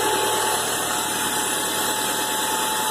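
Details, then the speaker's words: 1996 Toyota Camry at idle: thin constant squealing whine above a hissy background from a badly worn serpentine belt with rib separation, later replaced with a new belt. "You hear that sound? That's probably the alternator belt."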